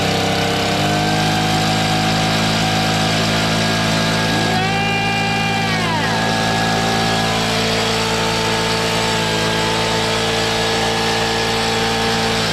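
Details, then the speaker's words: Stihl BG55 leaf blower two-stroke after new carburetor, fuel line and air filter base: steady even buzz at half choke, then smooth at full run with no stumbling or surging; normal idle and run. "wow look at that idol too [Music] okay [Music] now it's on full run it was half choked before how about that"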